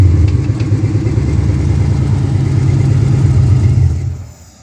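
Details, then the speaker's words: Ford Mustang Fox body on its second start attempt, after fitting a new Motorcraft starter solenoid: deep, even idle with a steady low pulse, no misses or clatter, then a clean shutdown; normal, healthy running. "That's what I call a freaking success right there."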